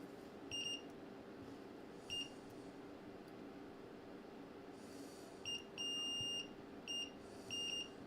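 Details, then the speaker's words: 1984 Sony SRF-A200 stereo AM radio that was found dead after ten years in storage, under test. A high steady tone cuts in and out in irregular short bursts over a quiet hiss: an apparent intermittent connection. "We've got an intermittent connection there by the looks of it."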